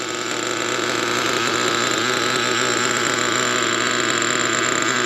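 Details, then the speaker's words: Traxxas T-Maxx nitro RC engine, cold start after richening low speed and leaning high speed needle to lower idle: fast, buzzy steady idle without stumbling, running rich and loading up with oil while cold. "I run it on the grass can see how rich it is just loading up with oil cold just needs that"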